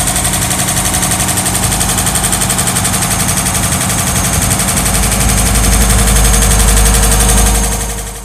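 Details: Toyota Crown Wagon GS130G with a swapped 1UZ-FE V8 running with a loud, rapid metallic rattle from a lack of oil pressure; the reason for the lost pressure is unclear.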